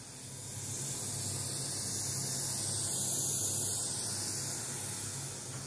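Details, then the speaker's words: Home studio speaker box fed by balanced XLR and TRS cables, all devices on one power outlet: a steady white-noise hiss with no hum appears once the TRS cable is connected and the volume is turned up. The source is unresolved. "this is not a humming it is a hiss actually it's a white noise"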